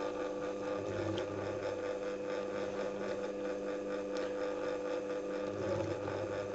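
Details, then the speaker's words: Singer 201k sewing machine with a DIY servo motor, speed reducer and force-control pedal, sewing 600 g/m2 vinyl folded 8 times. A steady whirring stitch rhythm holds with a brief low surge as load rises. The machine copes with load changes normally. "Look how responsive the machine is to the load changes. It copes with load changes quite well."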